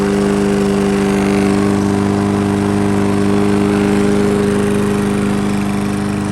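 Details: Toro lawnmower with a Briggs & Stratton engine that ran rough and was hard to start, after its plastic carburetor was reinstalled: the engine settles into a smooth, even hum near three and a half beats a second, with no surging or misfire. It runs healthy.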